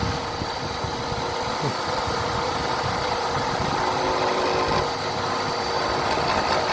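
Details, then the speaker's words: Hobby machine shop mill cutting a blade part for a Stirling helicopter model; steady drone with rough, uneven chatter; operator feared something came loose, but set screw found tight; unusual cutting noise. "that sounds like that didn't sound so good let's raise it up and see it almost sounded like this came loose"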